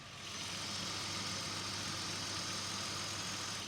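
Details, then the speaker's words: 1993 VW Corrado VR6 with under 41,000 km, microphone at the front of the engine: a steady, quiet idle with an even airy hiss and no squeak, chirp or vibration from the belts, water pump or pulleys. "We can listen for some ancillary noises, squeaking from belts, water pump, etc. Don't hear anything. It's very quiet. No vibrations from any of the pulleys or anything like that."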